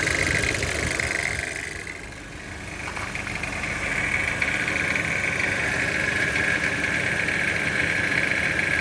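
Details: Toyota C-HR 1.2 turbo engine at idle: a fast, even metallic rattle of about three or four beats a second rides over the engine.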